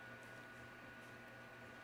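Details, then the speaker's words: Godox SL-150 LED video light at 100% output, before fan upgrade: steady airy whoosh with a constant low hum and a thin high whine. The cheap stock cooling fan, blowing air from the heatsink, is loud. "an this is a great light very bright the only downside is a fan noise because they used a cheap cheap cheap fan"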